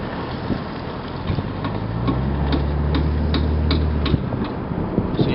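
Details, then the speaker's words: 2001 Lexus IS300, left rear: sharp regular clicks two to three a second over road and engine drone while turning, mostly on right turns; cause unknown. "It's been multiple people cannot figure out what that clicking noise is. It's the left rear from a 2001 Lexus IS300."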